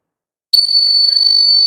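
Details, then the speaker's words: Cassette tape recorder, belt problem already fixed: silence then sudden piercing high steady whistle through speaker on any button press; caused by stuck record lever. "நான் இப்போ tape recorder side நான் எந்த பட்டனை press பண்ணாலும் அது சத்தம் தான் போடும்"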